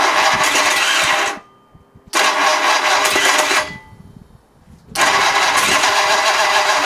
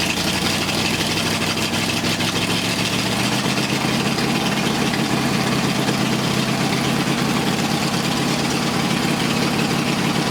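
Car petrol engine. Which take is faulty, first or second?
first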